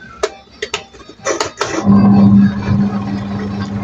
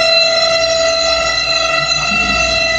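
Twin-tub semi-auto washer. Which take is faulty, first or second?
second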